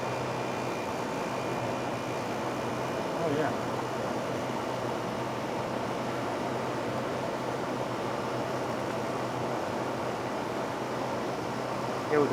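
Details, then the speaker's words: Fedders window air conditioner after oiling dried-up motor bearings and cleaning, tested with the cover on: even, steady hum with a smooth fan whoosh, no rattles, squeals or grinding; running normally. "okay now we test with the cover on sounds like an air conditioner to"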